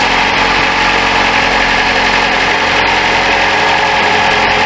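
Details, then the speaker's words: 2012 Chrysler 200 2.4L at cold idle, checked for suspected exhaust manifold gasket leak or crack; steady, quiet idle with even hiss and faint air pump whir, no ticking or puffing from the exhaust; sounds normal. "Well, she sounds pretty quiet. You can hear the air pump, but I heard it in the air box."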